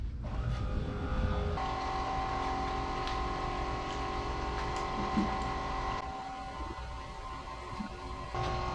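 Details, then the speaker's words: BMW E82 pro drift build, electric coolant pump switched on from the dash after filling and bleeding the rear radiator: steady smooth hum with faint rush of flowing coolant, no rattle or squeal; pump works normally. "Now I can feel all the water rushing through all of this. Pretty heavy, which is rad. It's moving some fluid for sure."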